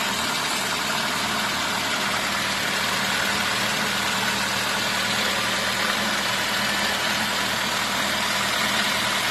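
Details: VAZ 2115 after a piston knock repair: cylinder block bored and new pistons fitted. It idles with an even, smooth, quiet hum and no knocking or tapping: normal idle.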